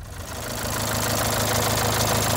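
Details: Renault Symbol, engine fully rebuilt a month earlier, then strange ticking: failed timing belt tensioner bearing let the belt jump a tooth, so the engine picks up from idle into a rough, buzzing, vibrating run.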